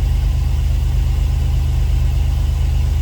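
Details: 2004 Chevy Astro 4x4, 4.3 V6 Vortec, after installing a new Brave X aluminum distributor: low, smooth idle rumble, even pulse, no clicking or ticking; earlier clicking was suspected from passenger-side coil or ICM. Normal idle.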